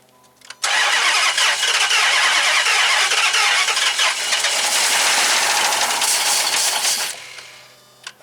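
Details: 2005 Dodge Magnum RT Hemi, two cylinders dead, plugs refitted, throttle given: steady starter whirr about three turns a second for six seconds, never fires.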